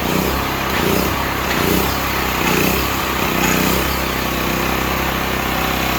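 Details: Stanley 8000 W all-weather generator, bought used after sitting four years, run after starting fluid, meter reading 7 (possibly 7 hours), new air filter; small engine holds an even, steady buzz, no hunting or stumbling; seems to work fine.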